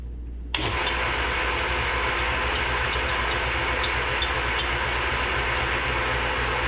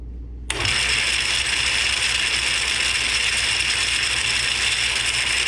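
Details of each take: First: Atlas 10F lathe with QC42 quick-change gearbox, worn gearbox before bushing replacement: in neutral with no gears engaged it runs reasonably quiet, a fairly even hum and light steady whir with no knocking; normal running in neutral. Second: Atlas 10F lathe with a QC42 gearbox, with shafts worn by as much as 30 thou. It is quiet in neutral, then gives a loud, harsh gear clatter and whirr when the change gears engage with the gearbox out: a worn, sloppy gear train that threads poorly.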